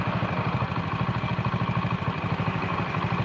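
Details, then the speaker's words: Honda Win single, idle turned down below 1500 rpm: slow, lumpy idle with a low knock on each beat; knocking comes from the idle being set too low, typical of clutch bikes. "Kalau mesin RPM kecil yang ngoglok. Jangankan Honda Win. Motor baru keluar pabrik. Kalau langsamnya kekecilan ya glok ngono kuwi Mas."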